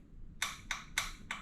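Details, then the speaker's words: Honda two-cylinder engine that sat 10 years in a shed, at key-on, starter not turning it: light sharp clicks about three a second with the engine silent; fuel shutoff solenoid clicking normally. "you can hear the fuel on the solenoid click so that's good"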